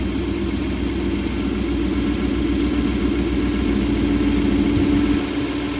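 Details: 2014 Ram 1500 V8, 68k miles, after non-MDS cam and lifter swap: steady mid-pitched whine over idle rumble, stronger as revs lift; persists with belt removed, so internal; owner suspects camshaft whine.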